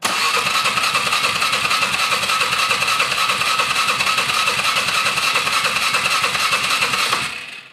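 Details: 2007-build Polaris Sportsman 450 with aftermarket carb, gravity-fed from auxiliary fuel can: starter cranks evenly about 3.5 turns a second, never catches; cranking no-start from fuel starvation.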